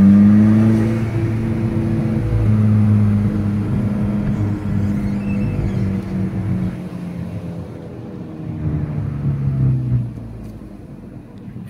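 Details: Audi R8 on road test after installing new coil packs and NGK Laser spark plugs (old plugs about 40,000 miles): clean note climbing and easing off through the gears, no misfire or popping, some road noise; runs noticeably smoother.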